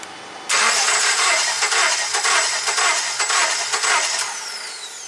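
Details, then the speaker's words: 2009 Subaru Forester crank no-start with no codes, unprogrammed spare ECM fitted, security light on: starter spins the engine steadily about five seconds, no spark on either coil control trace, never fires. "No spark on this one at all on either trace. That's unfortunate."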